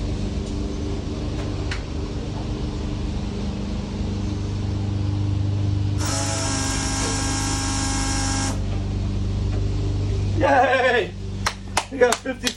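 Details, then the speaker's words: Foxbody Mustang with Holley EFI during first start-up prep: fuel pump relay jumped to power the pump without the ECU. Steady hum with a bright, even high whine for a couple of seconds. Normal priming, building fuel pressure. "we're gonna put power to it and what I'm gonna do is I'm gonna jump out the fuel pump relay so I don't have the ECU or anything on"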